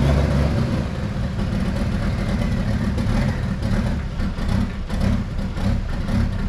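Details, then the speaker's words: Jeep Wrangler YJ with swapped-in Mercedes diesel, fresh start after engine install: heavy uneven clatter lumping and surging at low revs, smoking heavily; owner expects injector pump adjustment needed, turbo line hose also leaking; rough running. "let it run for a little bit and it smokes like a bear so I'm sure I'm gonna have to do some uh adjusting on that injector pump hopefully"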